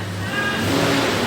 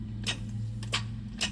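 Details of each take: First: 1996 Toyota 4Runner, 290,000 miles, previously no-start, after negative battery terminal reconnected: healthy starter, engine turns over and runs smoothly with steady even note, no grinding or clicking. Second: 1996 Toyota 4Runner, 290,000 miles, won't start: about ten sharp dry clicks in three seconds, speeding up, with no cranking; suspected weak battery or bad starter solenoid, not confirmed.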